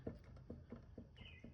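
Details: Suzuki V-Strom 800DE: the hand-spun front wheel gives a rough, rhythmic crunching click about four times a second from a completely failed front wheel bearing.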